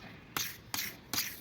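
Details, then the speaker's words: Old pulley bearing removed during a timing belt replacement and spun by hand: a dry, gritty rasp in surges about every 0.4 seconds, noisier than the other bearing. Worn pulley bearing. "görüldüğü gibi bunun sesi daha fazla"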